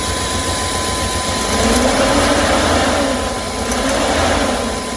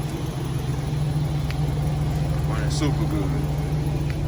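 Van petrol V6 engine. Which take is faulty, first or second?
first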